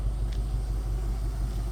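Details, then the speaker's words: 2008 Range Rover HSE V8 running again after sitting 7+ years, with fresh oil change and new brakes, mic near the exhaust: deep steady rumble with an even pulse, nothing knocking or ticking; smooth, healthy idle. "she sounds good I mean the car sounds good I'll get you down here to the exhaust I mean she's rocking and rolling"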